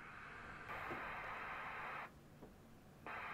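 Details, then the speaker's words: Formac 120 AM/FM 120-channel CB radio, bought faulty from eBay, after a capacitor was fitted across the squelch transistor's collector-emitter. Hiss cuts off cleanly and returns with no click or pop. Normal squelch closing. "there we go nice and um smooth on the release and no pop anymore so scch still works as expected but no nasty pop"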